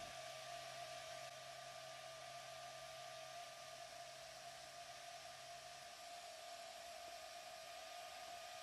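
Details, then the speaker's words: Household fan with blades bent from objects dropped into it: constant airy rush with a faint steady hum, speed unchanged; noise from bent, unbalanced blades. "as you can see my interest in dropping different objects in the fan has caused the blades to bend these might not seem that big but believe me these are cause of that noise"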